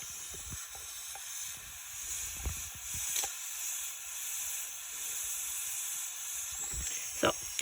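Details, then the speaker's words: Subaru STI boost leak test, engine off, about 7 psi applied after new intake manifold: steady high hiss; soapy water shows leak around the bypass valve hose. "with only we'll say about seven pounds of pressure applied and here's some pretty good hissing around there so when you spray some of those soapy water in there you can actually see i've got a pretty good leak around the hose for the uh bypass valve there"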